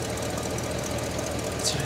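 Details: 1969 Cadillac Eldorado, 21,000 original miles, revived after about 20 years in storage: steady, even idle hum with no misses or loose tapping; charging at 13.2–13.3 V, no fuel or water leaks; engine running normally.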